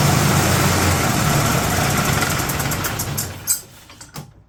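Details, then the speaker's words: 2008 Yamaha Drive G29 gas golf cart with choke fully out: uneven, lumpy beat that sags and dies; running rough and stalling. Owner hears noise like compression or exhaust escaping, crankcase pressure from valve-cover vent, suspects possible head gasket. "issue. It's noisy. It's like we have compression or exhaust coming outside the engine."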